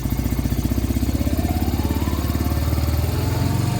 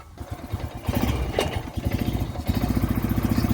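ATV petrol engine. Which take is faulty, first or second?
first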